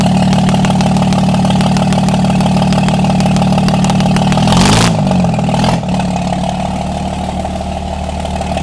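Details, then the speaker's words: Diesel truck whose replacement turbo failed after 12,000 miles, run briefly with the manifold off to check the cylinders. Even, steady diesel clatter at idle with a deep regular pulse, no misses or knocks; all cylinders firing, normal idle. "Sounds good to me. Yeah, all the cylinders are hidden."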